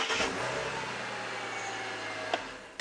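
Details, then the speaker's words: 2005 Ford Territory after a no-start repair, battery reconnected: short crank, catches promptly and settles into a steady idle; starts consistently on repeated tries. Normal crank and start. "okay for a ford that sounded alright"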